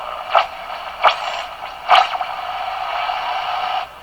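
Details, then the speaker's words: Westinghouse 535 radio after removing the added phonograph wiring and resoldering: a rushing, wind-like hiss with crackling bursts and a heterodyne, spurious oscillation still present, cause unknown. "You can hear the windstorm building. And hear the heterodyne. The same effects, but different."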